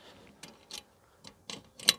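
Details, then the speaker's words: Door safe (Mobil-Safe) on passenger door of Clever camper van; after sticking first adhesive buffers on the sides, lid still has play and rattles when door closes, sparse light clicks and taps in quiet cabin; not yet solved. "Mal schauen, ob das schon was gebracht hat. Nein. Also das war noch nicht das Rätselslösung."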